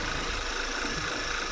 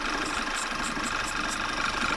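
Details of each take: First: Engine with failed PCV valve (part 06H 103 495 E), idling hard with a whistle; opening the oil cap gives suction: idle a bit hard and uneven with a faint airy hiss from extra air; rough idle from failed PCV valve. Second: Engine idling after PCV valve (06H 103 495 E) replacement, seal area sprayed to test for vacuum leak: steady even idle with light hiss, revs stay flat; new PCV seal not leaking.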